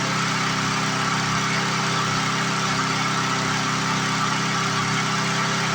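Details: 1997 Lawn Chief 3.75 hp 20-inch push mower engine after second governor adjustment, judged by ear without a tachometer: steady drone with even buzz and no hunting, speed still off; plastic governor arm bending back, may need replacing.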